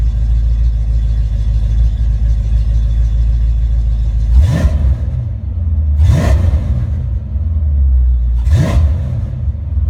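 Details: Ford Mustang with a rebuilt A9L mass air flow ECU (E9ZF-12A650-AA) on test after a no-start: a smooth V8 idle at about 800-900 RPM closed loop, with three clean rev blips and no stumble or breakup. Normal idle and revving.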